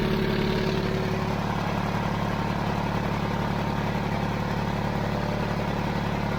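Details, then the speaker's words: 70-year-old 1950s barn-find D6 dozer diesel, started via pony motor after years sitting: steady, even low chug at idle with a regular beat, no knocks or misses; normal clean diesel idle. "Once you got gas, the battery ain't gonna go dead. That's awesome, dude. Let's roll it. Sounds good back there."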